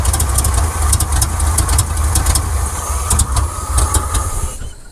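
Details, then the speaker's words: 1979 Chevrolet C10 Custom Deluxe misfiring during a timing adjustment: lumpy, ragged idle that sags and stalls; timing was near correct, owner suspects bad spark plugs, cause unconfirmed. "Well, that's not it. See, it was about in time as best it could be. Just died right there. Well, something is not kosher."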